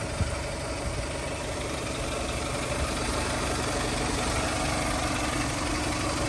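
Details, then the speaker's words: 2000 Toyota Camry LE, 173,000 miles, fresh timing belt service: steady engine idle under a constant rushing whoosh of the auxiliary cooling fans, with no knocks or squeals; the fans and engine are running normally. "RPMs and now you can hear those auxiliary fans again"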